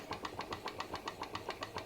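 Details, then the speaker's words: PM Research glass Stirling engine driving a homemade Baker fan as a working load. Crisp, regular ticks about seven a second over a soft hum, evenly spaced; normal running under load. "sounds like an engine under load working and I reckon that's pretty cool for a Sterling engine actually I reckon that's really cool for a Sterling engine"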